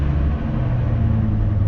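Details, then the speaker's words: Neglected Ford Excursion gas V10, cold start at 12 degrees: deep idle that wavers and sags, engine starts right up then stalls, cold-blooded; owner suspects a dirty idle air control valve needing replacement, not confirmed. "well there you have it started right up and it stalls yeah it needs an idler control valve this one's pretty cold-blooded but you know started right up and if the idle air control valve was clean then it would be idling fine"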